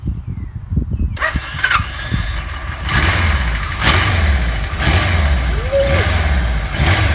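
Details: 1977 Kawasaki KZ1000A, 27,004 miles, recently serviced: after a second of quiet the four-cylinder cranks, catches quickly and settles into smooth even idle without knocks or misses; normal cold start.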